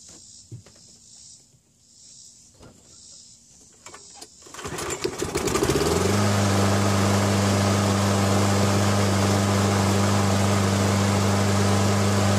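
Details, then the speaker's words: Briggs & Stratton Quantum L-head engine on a Craftsman mower, governor spring bracket bent to adjust speed, checked by digital tachometer: cranks, catches and settles into a steady even drone. "Alright, going to fire this up, and I will adjust it. I'll speed it up and then slow it down and try to get it back to where it was."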